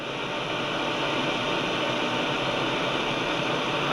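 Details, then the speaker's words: Grundig Satellit 800 returned over a reported chugging noise, tuning across the band: smooth even hiss with no chugging or pulsing; normal receiver noise floor, fault not reproduced. "I'm really not I'm hearing a noise floor but not now as I go up you I I'll probably hit another station here in a minute"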